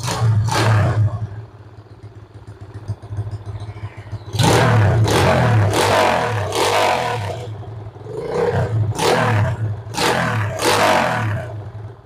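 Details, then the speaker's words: Suzuki Shogun 110 after fixing lost ignition by reconnecting ignition wiring: fires and takes several sharp throttle blips, settling to a steady low idle between them; normal running. "seperti itulah motor sudah bisa hidup normal tinggal kita merapikan saja"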